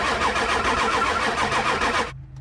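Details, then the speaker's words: Diesel truck with a no-start cranks at a steady fast rhythm for about two seconds without firing; lots of air in the high-pressure oil system, seen bubbling out at the reservoir; HPOP suspected. "there's a ton of air in the high pressure oil system you get ton of it at this reservoir here you can see a bubbling out"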